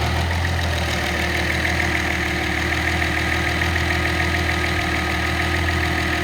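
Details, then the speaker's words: Nissan L28ET turbo engine, warm, with a VG30ET controller driving a Ford IAC valve: steady even idle with no surge as the AC is switched back on. The IAC raises idle from about 600 to about 800 rpm; normal idle under AC load. "turn the AC back on again and the Ia picks up the RPM"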